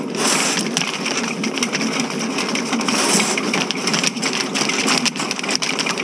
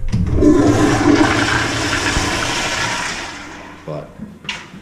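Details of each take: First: Electric snake cable run through a cleanout into a clogged ladies' room sewer line at a renovated movie theater, water added: continuous harsh scraping and rattling as the cable chews at a hard blockage, found to be grout. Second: Movie theater toilets flushed after the sewer line was cleared with an electric snake: strong rushing flush that swirls down and drains quickly with no gurgling or backing up; line flowing freely.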